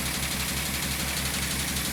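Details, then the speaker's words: 1998 VW Eurovan with misfire codes P0304 and P1216 idling roughly on a lift: quick, regular light tapping in time with the engine comes from a loose part of the lift rack rattling from engine shake, not the engine. "can't see it shake it up there but thing rattles whenever the engine runs on the raft that thing rattles"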